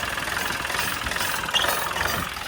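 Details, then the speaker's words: LS MT3 35 (MT335) common-rail diesel tractor with rough surging idle: harsh, rattly clatter and sharp knock at idle from fuel rail pressure too high, overfuelling and stressing injectors; suspected suction control valve/regulator issue, possibly ECM fault. "because the fuel rail pressure is too high. It's basically over fueling and it's putting a ton of pressure on those injectors."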